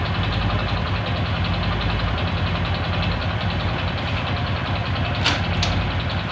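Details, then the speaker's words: Honda Supra 125 motorcycle with slipping clutch, hard gear shifts and weak power: steady idle with a rough quick clacking knock, described as like a con-rod noise, plus a faint whine; bottom-end knock, cause unconfirmed. "Oke seperti ini kira-kira suaranya Suara klak klak klak klak ngelitik seperti suara stang dan juga sudah ada suara punggung ya dengungnya di nangisnya cuma sedikit banget"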